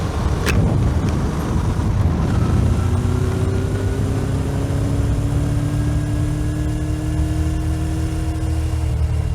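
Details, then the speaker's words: Motorcycle (trike) riding after a used stainless header/exhaust replaced the old leaking one and was hand-cleaned: steady deep exhaust drone rising smoothly in pitch as it pulls away, no knocks or rattles. Normal, healthy exhaust note. "Úgyhogy most élvezem a munkám gyümölcsét, és kijöttem motorozni. Egész jó a hangja."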